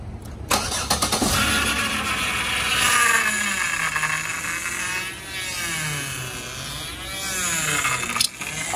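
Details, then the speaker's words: Power steering pump running with the fluid nearly bone dry and smelling burnt from a leak a shop couldn't find. A groaning, grinding whine rises and falls as the wheel is worked. "we've taken it to a shop they can't seem to find the leak but it makes this horrible grinding noise and I'm sure a lot of you know what that what I'm talking about"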